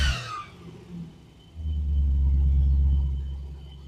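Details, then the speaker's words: Triumph TR8 (Oporto) V8 warming up, heard from front: deep even rumble swells with one throttle blip then eases down smoothly as fast idle starts to drop; normal revving while warming. "getting a little bit of warmth in it now, and it's starting to slow down a little bit. So she's coming down."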